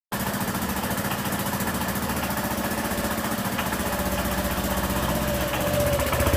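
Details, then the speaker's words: Honda PCX scooter after a tyre change: steady idle with sharp rapid puffing tick on every firing pulse; exhaust leak because the exhaust sealing gasket ring was left out. "O cara esqueceu de colocar a junta de vedação, o anel ali na parte do escapamento. E ela tá fazendo um barulho horrível."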